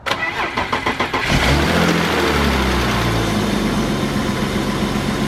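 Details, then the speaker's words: 1995 BMW 325i E36 M50 engine after fitting a new belt: about a second of rhythmic cranking, then catches and settles into a smooth quiet idle with no belt squeal or knock; idler pulley not great but spins free. "yeah our day works off no noises beautiful this is a nice sounding M50 it's quiet sweet"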